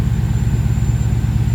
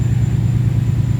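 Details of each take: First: Ford Capri with Mercedes M113 5.0L V8 on MaxxECU: after raising idle timing to near 20 degrees and slightly leaning fuel, deep even burble with steady beat and no pops or stumbles, replacing earlier misfire pops through exhaust; settled, healthy idle. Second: Ford Capri with Mercedes M113 5.0 V8 swap, first crank on newly converted MaxxECU with random throttle and fuelling: deep, uneven, lumpy stumbling rumble; owner says ignition timing is definitely not right.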